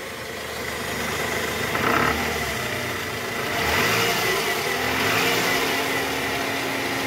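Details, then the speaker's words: Toyota Harrier 2009, 2AZ-FE 2400 cc, just after start with AC on, in R or D: revs rise and fall with a rough coarse rattle from the oil pan area; worn balancer shaft confirmed and replaced, noise gone; disappears with AC off. "ngerjain harierier mesin 2azz ada suara kasar di mesin pada saat awal mesin hidup AC on masuk r atau D"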